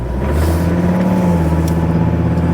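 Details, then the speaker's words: Ford Ranger diesel with automatic transmission just repaired, idling after a cold start: steady low clatter with an even throbbing rumble; engine rattles more than it should, added vibration, owner suspects a cold misfire. "Jesus, that engine rattles a bit."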